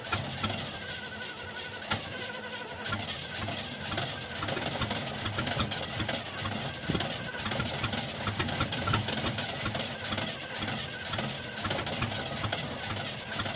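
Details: 1975 Oldsmobile: starter churns the engine over in repeated even pulses but it never fires or catches. Crank, no start; cause unknown.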